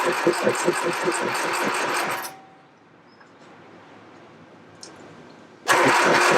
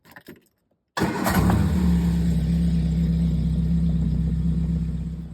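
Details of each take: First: 1969 Triumph Spitfire Mk3 with a rebuilt engine at its first start, fuel gravity-fed to the filter: two long bursts of steady cranking at 2–3 beats/s that never catch. Fuel starvation suspected; the starter also got hot, with a loose connection or missing earth strap suspected. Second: 1969 Triumph Spitfire Mk3 rebuilt engine, first start after refilling empty float bowls by hand: catches immediately and settles to an even steady idle with no misfire; pump can't prime on its own, a knock was then suspected.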